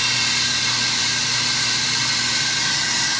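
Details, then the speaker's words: AMMCO brake lathe cutting a large, tough rotor that is unstable through one section; smooth, steady hissing cut with no squeal or pulsing, the proper tooling absorbs the vibration before chatter develops into a secondary harmonic. "so if you listen to the cut you can hear it would really like to start shattering but the tooling is just eating up the chatter the vibration before it becomes a secondary harmonic"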